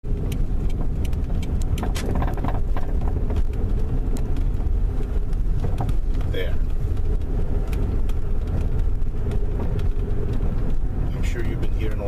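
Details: 1998-2003 Toyota Sienna minivan driving: road rumble with repeated sharp front-end knocks over bumps from worn front struts, later replaced. Front suspension clunk.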